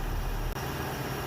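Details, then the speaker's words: 2001 Toyota Tacoma PreRunner 3.4 after repair of a broken flywheel ring gear that had made an ugly engine-transmission noise. Even, steady low rumble with no ticking, scraping or rattle: normal idle. "here right now the engine is already working there as you can see and there there is no problem there is not a single noise I can hear"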